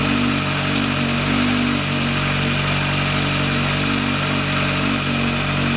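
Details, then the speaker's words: VW Lupo 1.8T turbo first restart after engine failure, rebuilt with H-beam conrods, new bearing shells and 2 mm thick head gasket: steady, even idle with smooth low hum, no knocks, ticks or misses; runs very well. "alles ist fertig also der wagen läuft sehr sehr gut erstaunlich sehr sehr gut da bin ich auch bisschen stolz ja läuft sehr sehr gut"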